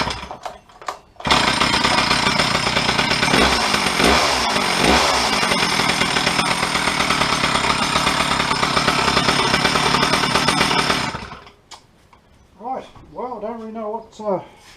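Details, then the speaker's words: Stihl 034 chainsaw, parked 10–15 years: a crisp two-stroke buzz picks up cleanly, holds steady revs and drops back without stumbling. Starts well with good compression. "starts good the compressions come right up too"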